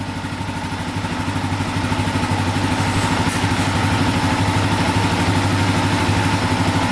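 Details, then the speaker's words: Yamaha Raptor 660R single-cylinder idling, fast even metallic clatter on top that is louder when revved; owner suspected the skid plate, which was found missing a bolt, rattle source not confirmed. "all right so right now we've got a weird rattle noise uh for those of you that haven't seen the previous video i'll start this thing up for you guys you can hear it when you rev it up right there right there right there so i think it might be the skid plate"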